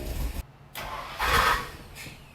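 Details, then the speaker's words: OBS Ford Bronco with a starting issue, cranked after the starter cable was rewired so the starter is constantly hot: a brief rough grind as the starter engages, then the engine catches; a replacement starter mismatched to the transmission type grinding on the ring gear. "It did a little grindy grind."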